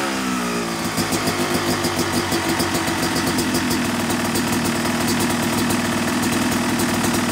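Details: Yamaha YZ250 two-stroke motocross bike (270cc/250cc), break-in after full engine rebuild (bottom end, transmission, bearings, clutch, power valve); crisp crackle settling to steady idle, smooth light blips, no misfire or rattle; normal, healthy.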